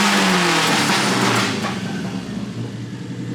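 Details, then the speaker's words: Toyota 4A-GE engine revving cleanly after its carburettors were cleaned, jets removed and cleaned, and readjusted; it pulls up crisply and falls back smoothly with no stumble or hesitation; normal revving. "now that's what a 4ag is supposed to sound like"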